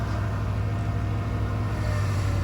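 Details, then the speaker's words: 1995 Ford F150 at idle with the factory Ford power steering pump: a thin whine rides over the engine rumble every time the steering wheel moves, the classic Ford pump whine that swapping to a Saginaw pump is meant to cure. "if you hear that like whine every time i move the steering wheel that is the ford power steering pump wine"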